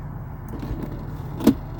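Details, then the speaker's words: Range Rover L405 driver's window: motor runs with a dull grinding crunch and a sharp crack partway through travel; crunch first noticed on shutting the door with the window up; power window regulator failure. "I'm just at my daughter's house here and I've noticed that the window, as I shut the door, the driver's window seemed to make a crunching sound."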